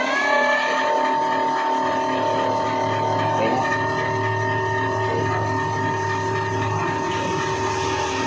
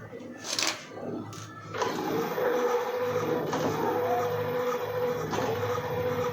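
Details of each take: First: E-bike hub motor after repair of stop-start running and battery charge dropping under load; test run with accelerator, forward and reverse. Clean steady whine with even pitch, no stutter or dropouts: normal smooth hub motor run. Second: E-bike hub motor under throttle, wheel spinning: a steady whine keeps cutting out briefly every couple of seconds, then resumes; caused by uneven charge across the battery pack, with one weak battery.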